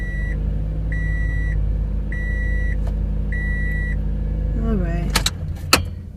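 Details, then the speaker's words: 2006 Toyota Matrix 1ZZ-FE engine idling under a repeating chime, then shut off; sharp clacks follow as the faulty starter, solenoid or motor, is struck to get one more start; starter needs replacing. "so that's just a demonstration there that banging on the starter sometimes can get you home we'll go ahead and replace this starter"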